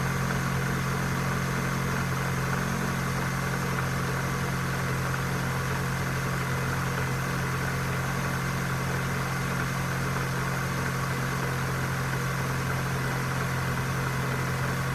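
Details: 2001 Corsa C 1.4 16V from cold start idles with a steady, even hum and no ticking. The owner says ticking starts after 5–10 minutes of running and grows louder as the engine gets hotter.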